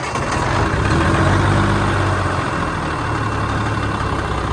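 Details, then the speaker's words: Cummins PT-pump diesel in a Freightliner cabover, after work on the leaking AFC (air-fuel/smoke screw); owner unsure if the pump front seal may be leaking. Started and settles into an even, steady low-clatter idle with no stumbling or knock; normal idle. "But we're gonna see it start up. So let's turn the key. There's the exhaust."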